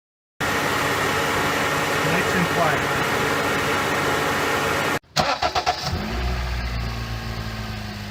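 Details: 2007 Honda Fit after replacing the AC compressor pulley bearing (NSK 35BD219DUM): short crank catches quickly and settles into an even, steady idle with no knocking from the front accessories; the former knock is fixed.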